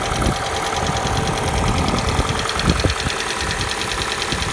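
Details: Kia Soul with the G4NA engine, cold idle: an irregular light knock about twice a second over the engine note, a cold-start knock of unknown cause.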